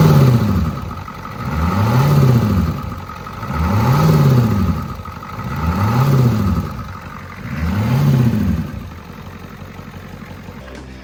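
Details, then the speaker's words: Ford 6.9/7.3 IDI diesel, simulated cold start: engine swells up and falls back about every two seconds, a steady hunting idle; air intrusion into the fuel supply, not present when hot. "Basically on a cold start, it would sit there and try to rev itself which I will now try to simulate what that sounded like."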